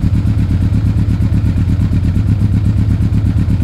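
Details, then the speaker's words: Yamaha Thunderace YZF1000 (1000cc) warming up from cold with the choke fully on. Steady, even raised choke idle, healthy with no knocks or rattles. "so I'm just warming it up I've got the choke fully on this fight takes a couple of minutes"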